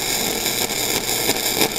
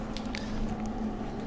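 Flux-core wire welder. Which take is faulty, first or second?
second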